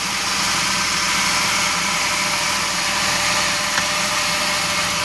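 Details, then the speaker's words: Restored carbureted Suzuki, freshly rebuilt engine with new pistons, rings and redone head, warming up after first start: smooth even idle hum with no stumbles or skips, not misfiring. "And you can hear it. It's just really smooth as can be. That's because it has brand new pistons and rings."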